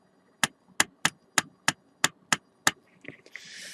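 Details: Eight sharp, evenly spaced clacks about three a second, then fumbling, from a DS18 SLC-X1150.2 car audio amplifier under repair; the amp is popping the speaker, with one component reacting most, suspected faulty though it seems to work; it will be removed and tested.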